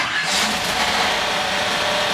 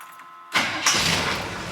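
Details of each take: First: GM small/large block V8 just after fitting a Summit Hi-Torque SUM-829105 starter rotated away from the header; on start a harsh metallic scraping rattle over the engine, the flex plate rubbing a bent dust cover, not the pinion. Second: GM V8 with newly fitted Summit Hi-Torque SUM-829105 starter; a short whirring crank, then the engine catches quickly and settles into a steady run, the starter sounding healthy.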